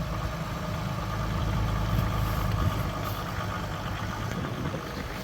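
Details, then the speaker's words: 2008 Jeep Grand Cherokee WK CRD, Mercedes OM642 V6 diesel, cold remote start at -10 in wind after timing chain tensioner replacement: even low diesel clatter, no chain rattle or slap; much better than before the repair. "Like I said, we had the issues with the remote start when it was first thing in the morning. Let's see. Much better. Wouldn't do that before."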